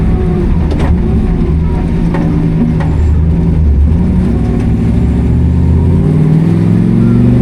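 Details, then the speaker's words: International Scout on a 34° morning drive misfires and falls on its face in third and fourth gear above 2500 rpm, struggling to hold 60 mph. Low, uneven drone with sporadic stumbles breaking the pull; cause unknown. "As I get into third, fourth gear, I notice that the scout is is really falling on its face and misfiring. Anything above 2500, it's difficult to maintain the 60 mph speed limit here."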